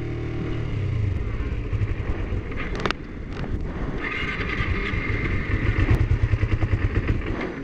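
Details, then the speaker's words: Used Kawasaki Ninja 250R, apparently dropped on both sides, started on choke during a purchase inspection; uneven lumpy burble with irregular pulses and misses, sounds sick, thought to need a tune-up; cause not found. "This bike really needs a tune-up. This bike sounds sick. Like it's..."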